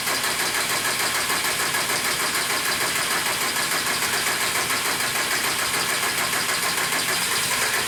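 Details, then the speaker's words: 1998 Jetta 1.9 TDI with a no-start complaint and trouble code 00550: steady fast cranking at about three beats a second that never catches; the diesel cranks but won't start. "as you can see it kind of tries to start trying sounds like it wants to start"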